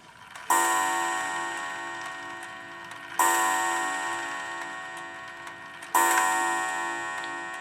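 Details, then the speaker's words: Antique Sessions-movement clock running for the first time in at least 50 years with homemade pendulum leader wire and suspension spring, put in beat, after warning: three clear gong strikes about three seconds apart, decaying evenly; strike train works. "I think I've got it in beat and it's gone into warning, so hopefully it's going to go off here in just a moment. There it goes."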